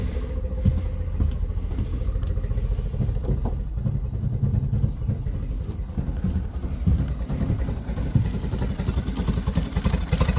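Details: 2013 Yamaha 9.9 four-stroke outboard at slowest idle with spark tester on lower cylinder: low, uneven chugging with irregular beats and weak firing; spark very consistent, not electrical.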